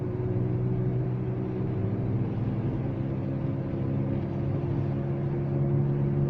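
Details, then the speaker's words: Front wheel hub (bearing suspected) on a Volvo S60 T5 hums while driving: a steady low drone rising slightly with speed, louder when turning right under load and fading when turning left, so the left hub is suspected. "При повороте направо больше гудит, значит левая ступица. Нагрузка. А налево поворачиваешь, затихает."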